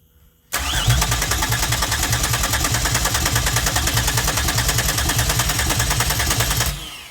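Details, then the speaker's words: 2004 Pontiac Grand Am 3800 supercharged V6 5-speed swap after adding fresh gas, fuel pressure unchanged: fast regular cranking about three per second with strong firing pops that never catch; cranks but won't start, wiring unfinished. "Man, she wants to start. I know y'all heard that one."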